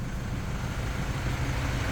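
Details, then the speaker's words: Toyota Vigo 3.0 diesel after replacing the rail pressure sensor and SCV: even, low idle rumble with no knocking or stumbling; injector corrections back to normal, no codes or check engine light, idle still settling. "ตอนนี้ค่าก็กลับมาอยู่ในเกณฑ์ที่เรียกว่าปกติเลยส่วนสูงเนี่ยเดี๋ยวมันจะค่อยๆลงเครื่องจะค่อยๆปรับนะครับ"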